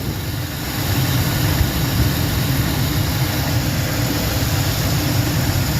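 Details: 2004 Lincoln Navigator warming toward operating temperature after 5/8 coolant hose replacement and antifreeze refill, no leaks seen: low, steady rumble holding an even idle with no misses or knocks; running good, normal idle.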